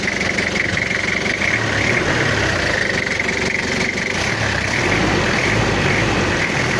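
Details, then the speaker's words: Toyota Kijang diesel after head/coolant-overflow repair (coolant pushing into reservoir), temperature gauge around 68: steady, smooth even idle, no knocks or misses; now normal, cool-running, tappet clearance set, before test drive. "untuk suara ini suaranya udah normal dan udah adem klintingnya udah dapat"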